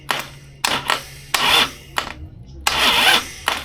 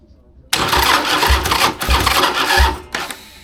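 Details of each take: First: Rewired 2002 Harley Sportster chopper with custom key switch, first crank attempt: short repeated starter bursts, each dying after about one revolution and never catching; engine will not turn over, owner worried about the clutch install, cause not confirmed. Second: Rewired 2002 Harley Sportster chopper with plugs in, cranking on a half-charged battery: the starter spins the engine briskly with an even chug of compression strokes, about two a second; it has compression and turns over freely.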